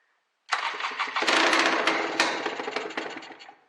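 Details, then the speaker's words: Honda NSR 125 two-stroke after sitting two years, fuel in the funnel, float not leaking, idle test on choke: it sputters unevenly in ragged, stumbling bursts for about three seconds, then dies. "so let's uh let's put on the choke you can see how it's not happy wait power"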